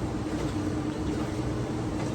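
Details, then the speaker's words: Older Whirlpool Cabrio washer (WTW6200VW0), stator drive, after replacing shaft, bearings and tub seal to cure a roaring spin: only a low, smooth, steady hum through the whole spin, bearings now quiet and healthy. "much better you could do laundry now without the whole neighborhood knowing that a plan's not taking off"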